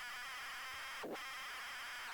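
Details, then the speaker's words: ZX Spectrum cassette of unknown content loading, dense, warbling high screech with a brief dropout midway; turbo-speed loader signal that is notoriously hard to load. "listen to that that's a horrible loader that's horrible oh it's one of them turbo Plumbing loaders the notoriously bad to get to load"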